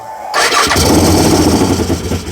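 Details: Fire-damaged CF Moto Z Force 800, brake clean sprayed into intake while cranking: catches with a loud burst and runs raggedly a couple of seconds; fuel issue suspected, fuel lines possibly swapped.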